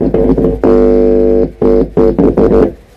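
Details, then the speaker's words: Stranger MX 1500 amplifier after repair of a no-power, no-audio fault, volume, treble, bass and mid turned up, hand touched to the input socket; bursts of steady hum come and go, normal signal passing. "तो यहां पे humming आ रही है।"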